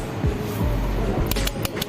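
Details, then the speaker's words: Hero Super Splendor, ignition on, self-start pressed: sharp relay clicks ("kat kat") but no cranking; relay works but starter motor doesn't, because its carbon brushes are worn out. "जो इसमें से आवाज आ रही है cut cut की आ रही है। Only जो इसकी रिले है वो काम कर रही है। जो इसका सेल्फ है वो काम नहीं कर रहा है।"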